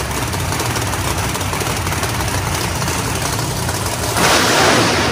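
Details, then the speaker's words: Big drag race V8 on jack stands, final fire-up running through gears: loud roar held high then surging harder near the end; engine over-revving, screaming rpm from a trans brake malfunction, later fixed by rewiring. "we had a little malfunction with the Trinity break and all that you could heard it earlier it was just going up screaming rpm"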